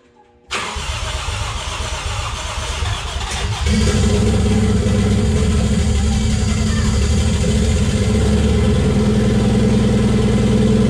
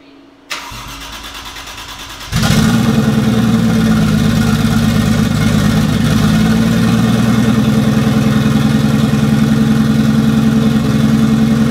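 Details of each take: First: Toyota 1JZ swapped into a Datsun 280Z, unedited first start on a hand-built ECU base map: engine catches after a brief crank and settles into a fast, steady idle that climbs higher; kind of high idle, RPM unknown, owner killed it. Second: Toyota 1JZ in a Datsun 280Z, later start after tune and O2 sensor modifications: cranks briefly, catches at about two seconds, settles into a steady, even idle with no misses or knocks; runs quite a bit better now.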